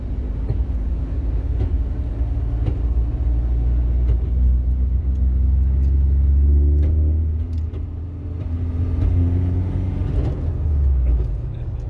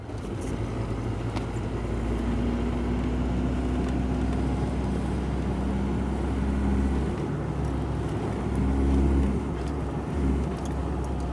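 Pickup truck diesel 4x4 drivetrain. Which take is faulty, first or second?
first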